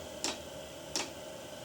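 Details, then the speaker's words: New 8 kW (27,000 BTU) Chinese diesel air heater at startup warm-up: sharp, even ticks about every 0.7 s over soft blower hum; normal dosing fuel pump feeding. "and you'll hear it ticking eventually and that's just the fuel pump loading"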